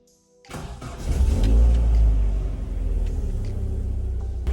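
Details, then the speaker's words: Mk 1 Vauxhall Cavalier engine started after radiator leak repair, pressure test and refill with 50-50 G12 antifreeze, being warmed up: brief crank, flare, then even steady low rumble, no misses; running good. "it's running good at the moment."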